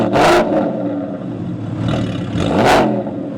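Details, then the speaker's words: 2014 Porsche Cayman S with GT4 RS replica body (3.4 L, about 370–380 whp): two sharp, clean rev blips rising and falling smoothly over a steady, even idle; engine pulls freely and sounds healthy. "yeah that sounds that sounds sweet thank you very much especially for I mean it's just a a 34 34 ler about 370 380 to the wheels man"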